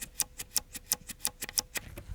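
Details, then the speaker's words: Commodore Amiga A1000 keyboard, microphone held very close to the key switch: about five sharp clicks a second, each with a dry, gritty edge; switches sound and feel very scratchy, unclear whether normal or worn. "And the worst part of this is that they are extremely scratchy. I'll put the microphone very close to the switch and I'll see if I can capture it."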